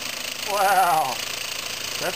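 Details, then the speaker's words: Homemade compressed-air engine from scrap, copper pipe cylinder, at about 8 psi from a compressor: a quick, even chuffing beat holding a steady pace; its fastest run yet, staying in time though it usually goes out of time. "fastest I've ever had it running it usually goes out of time before now"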